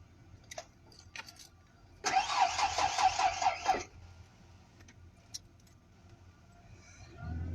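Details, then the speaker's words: Truck whose battery went flat after the headlights were left on: a weak, dragging crank under two seconds with uneven ticking and no catch. Slow crank, no start, dead battery. "My battery died. Came home this morning and forgot I had my headlights on, and I came out and my car's dead."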